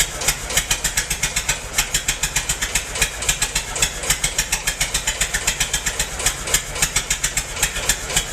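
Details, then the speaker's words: Massey-Harris 44 tractor stored 10 years in a semi trailer, with burned points replaced: uneven, lumpy chuffing about four beats a second with an irregular beat as cylinders 2 and 3 misfire; owner suspects stuck valves, plugs or wires; a stuck intake valve was found. "Well, alright. I checked it out. 2 and 3 cylinders aren't hitting. Either got some stuck valves or bad plugs or bad wires."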